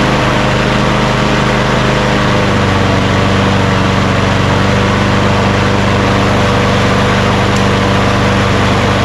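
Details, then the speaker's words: Craftsman push lawn mower engine after lowering the rpm, which was too high before: steady even hum that drops to a lower, smooth speed with no misses; normal running speed. "now that sounds much better before it was just too high"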